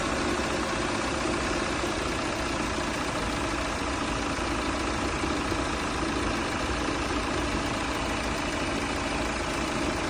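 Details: Audi A5 with AE888 engine after engine noise repair completed: smooth, even idle, steady low hum, no tapping or rattles; sounds healthy.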